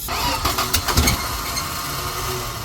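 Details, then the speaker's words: Power Wagon with 6.0 engine swapped in from a GMC, first start with gasoline sprayed in carburetor, no exhaust fitted: sharp pops then loud, raw, open bark settling to even run. Engine running without exhaust. "I don't know if we told everybody about the exhaust, but There's no exhaust on it right now. there's nothing."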